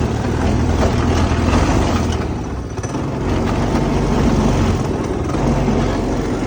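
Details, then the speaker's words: Go-kart small engine with newly installed 30 mm carburetor: revs hard but unevenly, note sagging and surging; something was plugged and needs tuning, cause not yet confirmed. "something is wrong I don't know what's wrong but something's wrong oh hold on that's why dang it because that thing was plugged"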